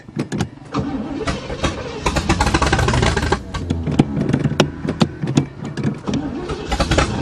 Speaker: see it was just out of gas yeah i didn't realize it was out of gas brought back from the dead